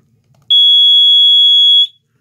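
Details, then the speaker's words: Watchdog water alarm wired to an AC condensate pump and hung on the furnace, with an added push-button switch to test the battery: one loud, steady high-pitched beep of about 1.5 seconds, so the alarm works. "so yesterday I added a push button switch single pole single throw like this here you can hear it"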